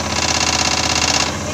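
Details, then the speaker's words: IFB front-loading washing machine running with a fast, buzzing rattle, sometimes severe; the broken mounting board of the front panel lets it vibrate and rattle. "जिसमें हम बोर्ड लगाते हैं front panel का, वो टूट चुका है, इसलिए ऐसा आवाज़ आ रहा है।"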